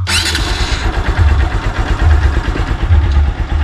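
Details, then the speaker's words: Honda Supremo with heavy cargo sidecar, nearly 2 years old, properly broken in: low, even thumping idle with steady beat, no knocks or rattles; quiet, healthy engine. "Yan yung tunog, yan yung under ngayon ng aking Raptor, ang aking Honda Supremo. So magto 2 years na pala to, Idol Joseph. Pero tignan mo naman kung gaano katahimik yung makina."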